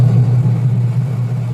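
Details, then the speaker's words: Washing machine after repair: gear case shaft cleaned, wash motor and gear case pulleys realigned; the earlier steel-scraping noise is gone, leaving a smooth, steady low motor hum with no metallic rubbing; normal running. "Wala na yung ingay na parang nagkakayod ng bakal."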